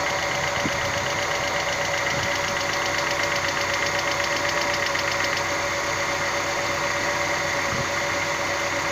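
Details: Hydraulic lifter tick: light fast ticking about four times a second over steady idle from the top of the engine.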